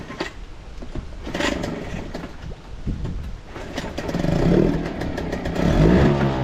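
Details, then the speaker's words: Outboard motor after replacing a broken fuel fitting, first start: catches and revs unevenly, then drops to a slow, lumpy idle slightly low, idle screw needs turning up; low idle speed. "All right, she fired up. The idle's a little bit low, so I might turn it down."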